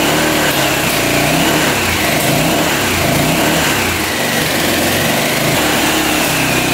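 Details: 1985 Honda XL600R single, sat a couple years, oil put down the cylinder: first start on choke, revs up and down fairly steadily, a bit ragged, then settles toward idle, smoking as oil burns off; runs but sounds tired.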